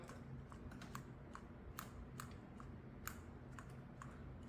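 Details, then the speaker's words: PCV valve just removed from 2023 Nissan Versa SV 1.6L HR16DE, shaken by hand before cleaning: a dozen light, irregular plastic ticks, dull not crisp; valve partly clogged and near end of life, where a new one clicks distinctly. "not too bad, but typically, if this was brand new, it would make a very distinct clicking sound when you snapped it back and forth like that."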